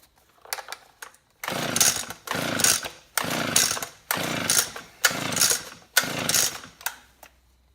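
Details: Unbranded two-stroke leaf blower bought for $5 from a dump recycle centre, with fuel drawn up by priming and spark unchecked. High-pitched bursts about once a second, revving up and dropping out; it runs only briefly on primed fuel, then dies.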